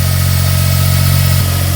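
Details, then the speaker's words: 2004 Smart ForTwo 450 700cc turbo petrol, rebuilt engine, just after replacing the cracked exhaust/catalytic converter; cold engine idling high, steady even low hum, no rattle or whistle; healthy. "is that better that sounds better doesn't it and it is revving quite High cuz the car's cold"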